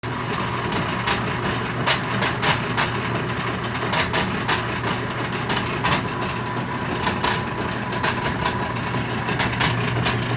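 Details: Whirlpool direct drive washer, reassembled after the drain system was cleaned and the driveshaft checked: the agitator now spins but the washer won't drain. A constant hum is broken by irregular sharp pops and clacks with a rough grinding undertone; cause unclear.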